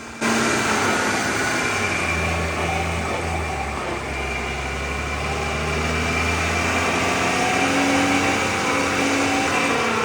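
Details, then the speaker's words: BMW X5 F15 driving: low droning hum swelling and fading with throttle, a buzz on throttle lift-off from the early-worn right long drive shaft CV joint. "вот-вот услышали в правом длинном шрусе именно насбросе газа происходит такой жук жук"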